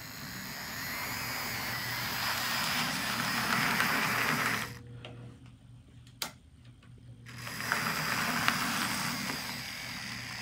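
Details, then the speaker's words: Assembled Arbour Models kit locomotive running at low speed: motor and gears whir with uneven tick about four times a second, briefly dropping out; binds in the mechanism, due to its design, give poor low-speed control. "low speed control isn't quite the best just because it's really difficult to work out all those uh binds in the mechanism just due to its um design"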